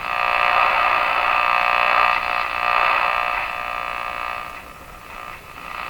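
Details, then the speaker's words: Westinghouse 535 tube radio during an alignment check: loud rapid croaking buzz, about four pulses a second, over hiss, coming in on the antenna; interference of unknown origin. "drat I wish I knew what that noise was just coming right down on the antenna"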